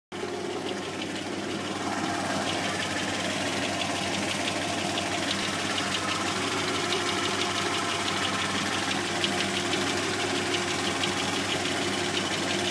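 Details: 1991 Subaru XT6 at idle with a light uneven deep tapping about three per second; owner suspects rod knock, still diagnosing.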